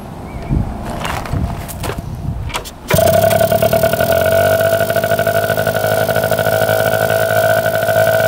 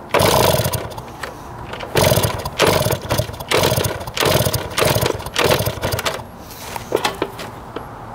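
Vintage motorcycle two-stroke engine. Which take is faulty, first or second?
second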